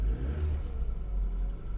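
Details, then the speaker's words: Car first start the day after buying at auction, quarter tank of petrol: deep, steady rumble that revs cleanly with no knocks or rattles; engine sounds healthy. "and the engine doesn't sound that bad."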